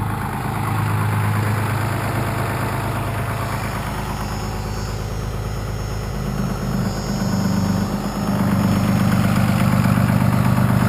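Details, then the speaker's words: 1993 Dodge W350 with 6.2L Cummins, about 200 miles on the new motor, idling with the exhaust brake: the exhaust note swells and sags every few seconds as the brake cuts on and off; the brake switch is intermittent and not holding. "my switch seems like it's not holding up very well it's kind of intermittent and kicking the exhaust brake on and off but you'll see if I can adjust that real quick"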